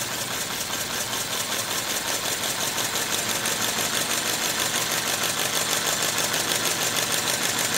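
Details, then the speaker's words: Compressed-air model V8, four-stroke, 3/8" x 7/16" bore and stroke, self-starting, run at slow idle with temporary flywheel; quick, even hissy puffs about three a second, steady and unhurried, like a 1950s V8 idling, healthy. "is my favorite speed because it actually sounds to me kind of like an idling v8 from the 1950s"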